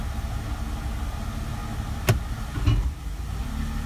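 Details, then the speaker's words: 2004 Mercedes SLK 320 flood car, 722.6 transmission after new conductor plate and filter, shifting into drive: steady idle, then a sharp thump and a softer knock on engagement; owner unsure of the cause, maybe parts settling. Pump not whining. "A little bit of a clump there, but maybe just got to get back right. My main thing is not the transmission pump is not whining."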